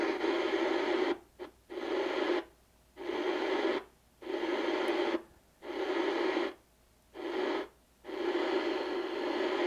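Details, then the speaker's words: 1970 Inoue IC-2F crystal-controlled 2-metre mobile ham radio: hiss cuts out and crackles back in about once a second as the knob turns, a dirty, scratchy volume control. "I'm turning my attention to the radio oh now we got dirty control there"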